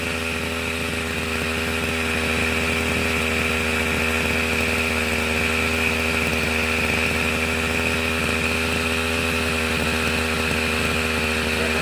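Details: Small two-stroke grass trimmer with a diaphragm-pump carburetor that starts with the choke closed but dies when the choke is opened and it is revved: after carburetor work it buzzes at a high, fairly steady speed with no surging or dying. Outcome unclear.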